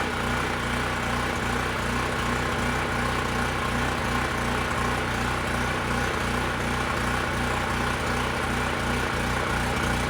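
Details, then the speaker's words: Generac LP3250 propane generator, about 7 years old, first start, following choke and primer attempts: loud single-cylinder beat with uneven stumbles, running rough and hunting; owner thinks excess propane flooded it, regulator and carburetor seem to work. "it's not sounding too good i think the good news is at least the regulator and carburetor seemed to work i mean it did start after i shut the propane off i think some of it had dissipated and mixed a little better with the air so once it was going it was hunting a bit"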